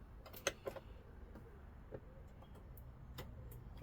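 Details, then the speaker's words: 2012 Swift Challenger 480 caravan fridge switched from electric to gas: sharp dry igniter ticks every half second until the burner lights; normal gas igniter clicking. "You'll hear the fridge clicking. It'll take a little while to switch over."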